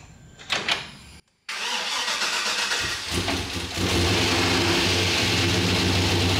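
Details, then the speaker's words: Turbo Trailblazer SS first start, 5.3L LMF with Stage 3 turbo cam on E85, untuned: short crank, catches, then a lumpy idle that dips before steadying; not running cleanly yet. "not bad I won't dare rev it up like this but not bad"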